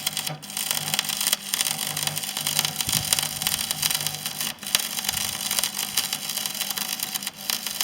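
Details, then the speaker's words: Parkside PESG 120 B3 stick arc welder during a test weld: steady crackling arc that drops out abruptly every second or few seconds, then catches again; arc cutting out while welding. "On voit bien qu'il coupe tout le temps. On l'entend."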